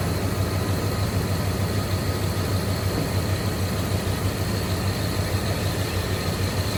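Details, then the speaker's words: 1994 Jeep Grand Cherokee ZJ 5.2L Magnum V8 after idle air controller replacement: smooth, even low rumble at a steady 700 rpm idle with no misses, knocks or surging; the fix appears to have worked. "And just like that right there, it's fired right up. It's idling at 700 RPM, which is typically normal for a 5.2."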